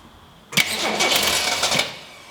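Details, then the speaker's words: 1966 Ford Mustang straight-six with a mechanical fuel pump, first start attempt: a brief crank, then it fires and roars for about a second on poured-in gas before fading; no-start from fuel starvation. "it really sounds like it wants to go straight or healthy yeah let's spray some thing in there pour some gas in there and try it"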